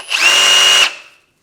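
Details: RIDGID 18V brushless reciprocating saw on a HYPER OCTANE Bluetooth 6.0Ah battery just unlocked: a clean, steady high motor whine under a second, starting and stopping crisply; runs normally.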